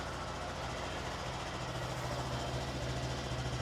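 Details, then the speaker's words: Written-off 2017 Honda MSX 125 (Grom) from auction, first start after a fresh battery, with a flat tyre; small single ticks over at a steady, even idle with light exhaust burble, not burning oil. Normal idle. "it's idling pretty [Music] nicely perfect it's not burning oil either"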